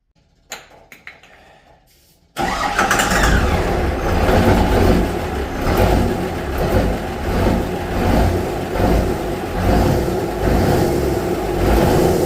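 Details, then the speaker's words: Ford 7.3 IDI diesel replaced by a P-pump Cummins swap, start attempts: turns over hard with rough, uneven chugging for ten seconds, smoking diesel but never running; owner suspects air still in the fuel lines. "all it still will not run it's smoking diesel but it will not run there must still be a lot of air in the lines"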